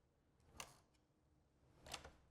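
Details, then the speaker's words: Access-control door lock tested with a newly encoded plastic key card: soft, sharp clicks about a second apart in a quiet room as the latch releases; unlocks normally. "Great! It unlocked."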